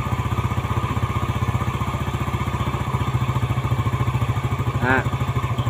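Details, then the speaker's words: Yamaha Jupiter Z after rebuild, carburetor air screw being tightened to find the highest idle: even thumping at about fourteen beats a second, slow and flat; the idle is too low, so the screw is loosened again. "rendah ya kita kendorin lagi cari suara yang paling tinggi"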